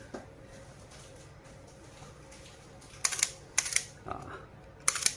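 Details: Sony A7 II camera after replacing the MB charge gear, which had been making a creaking "ngek" noise: four crisp, clean shutter clacks about a second apart with no creak or drag. The shutter operates normally.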